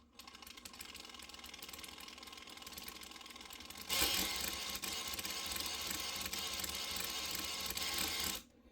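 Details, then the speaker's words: Atlas 6x6 RC crawler, after shimming one side, wheels held under throttle: sharp, fast ticking about three clicks a second, louder under load; something skipping, not the axles, definitely from the transmission, not yet found. "something is um skipping around or something here so I I just got to find it so it's not in these axles here like I thought it's coming from the transmission for sure"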